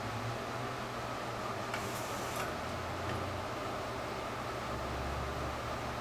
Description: When the print head returned to maintenance station, it made "Hissing" Sound.. It sounded like gas leaking.